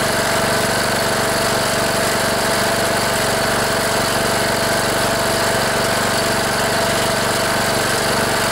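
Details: Cub Cadet LT1018 riding mower, 18.5 hp Briggs & Stratton Intek OHV single, unused about a year, idling after a new battery and replacing a fouled spark plug: steady, even chatter with constant pitch and no misses or surging; smooth idle.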